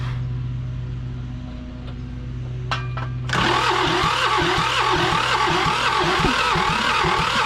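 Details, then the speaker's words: John Deere 650 subcompact tractor, two-cylinder Yanmar diesel, sat about 15 years. Oil poured into the cylinders to raise compression, then 80W90, yet steady cranking never fires. Lots of smoke and excessive blow-by; engine judged worn out. Crank, no start. "I don't know this engine is uh not looking too hot right now all right I just tried again with aw9 look at all the smoke coming out of the Eng this thing's shot"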